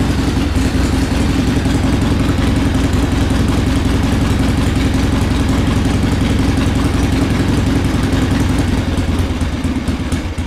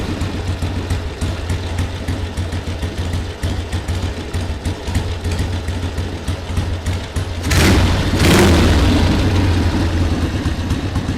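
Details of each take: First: 1979 Harley-Davidson Ironhead Sportster XL1000 started for the first time in over 25 years after cleaning. It runs with a loud, lumpy, uneven V-twin idle that stumbles and won't hold steady. Rough idle; a part had popped off, and more choke and a higher idle are tried next. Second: 1979 Harley-Davidson Ironhead Sportster XL1000, first start after 25+ years unused: steady, loping V-twin idle with an even low thump, no misses, short blip around eight seconds; engine running healthy, normal idle.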